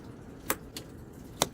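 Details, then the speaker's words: CF Moto with no power to the starter despite good ground: sharp relay clicks in pairs with no starter motor cranking; starter relay found bad again. "Hear it clicking?"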